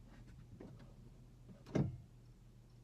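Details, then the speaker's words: Tesla Model X cabin during a failed software update with dead screens: faint irregular cricket-like chirping over a low hum, returning with one dull clunk as the brake is pressed; source not pinned down. "the brake again crickets are back okay"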